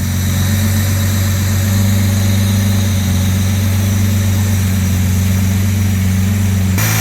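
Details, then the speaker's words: Original 1962 Jaguar E-Type 3.8 straight-six, freshly built engine with new stainless exhaust: even, deep idle hum holding steady without lope or misses; runs super smooth at low rpm, healthy. "uh all right i'm really happy with the running condition of that engine really impressive build by the engine builder and it runs super smooth down the low rpm"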